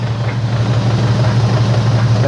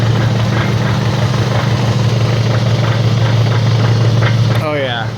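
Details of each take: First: AWD car on a lift in gear with the wheels spinning at about 20–30 mph, heard through a long screwdriver: a steady low drivetrain hum with no whirring or grinding, so this wheel bearing is healthy. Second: AWD car on a lift, wheels spinning in gear around 20–30 mph, heard through a long screwdriver against the skull: steady low whirring hum from a bad wheel bearing, also heard as humming while driving.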